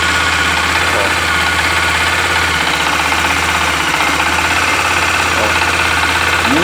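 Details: Honda XRE 300, 2018, 7,229 km: steady idle with light regular tapping over the engine note, owner says like a rod knock but much quieter; engine knocking noise at idle, cause undiagnosed.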